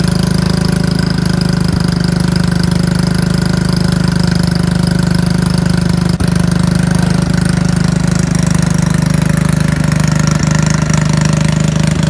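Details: Riding mower/tractor single-cylinder engine, run on a jumper pack after its battery read only 9 volts: uneven chugging with stumbles and speed dips, runs well a few seconds then hesitates, goes very slow and stops; connecting rod not blown, cause unknown.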